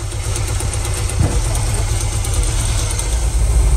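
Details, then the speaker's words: 1987 VW Vanagon Westfalia, four-cylinder petrol, parked 10 years after engine fire, first run on gasoline with airflow meter refitted, smoking: rough low idle with revs drifting up and down; owner suspects idle air circuit voltage issues. "sounds like all four cylinders are running it's revving up and down a little bit but that's just because the idle air circuit's doing weird things probably some voltage issues in there"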